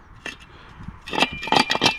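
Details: Honda Prelude factory catalytic converter (1999), removed for a test pipe swap: loose metallic clinking bursts when shaken, broken substrate rattling inside the shell, so the converter is done.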